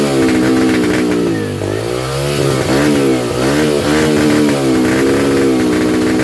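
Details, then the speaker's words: 2005 Yamaha 125cc dirt bike, just started off a 12-volt marine battery, engine speed surging and sagging every second or so without settling; unstable idle, carburetor needed tuning, fuel screw turned in fully then backed out 2 turns to get it idling. "I got it running. So basically, this is what I found out. The carburetor needed some tuning."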